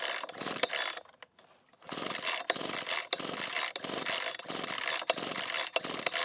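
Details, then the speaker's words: Husqvarna 125B leaf blower, on choke with loads of compression: repeated quick recoil pulls rattle the starter but it never fires or coughs. There is no spark even with another good used plug; the ignition coil was later replaced. "and so of course this thing does have an issue it appears that there is a no spark and I've already put in another good used spark plug in this thing and tried to get a spark out of it and it wouldn't spark"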